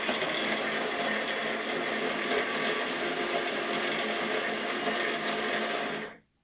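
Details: DeLonghi ECAM 22.110B Magnifica S coffee grinder (conical burr) runs with a harsh, rattling buzz and uneven churning, then stops abruptly; a blinking exclamation mark shows, and a foreign object in the grinder is possible.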